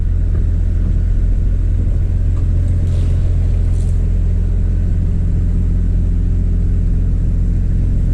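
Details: 2003 Chevy Trailblazer LTZ 4x4 4.2 I6, cold after new valve cover and intake gaskets, plugs and coils for a P0305 misfire: steady low rumble at a slightly high idle, smooth with no skips or shake. No misfire.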